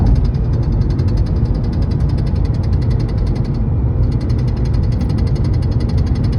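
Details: 2012 Volkswagen Passat at about 75 mph: fast, even tapping from the dash over road rumble, regardless of AC; previously stopped once in cruise control, returned after fuel filter replacement; cause unknown.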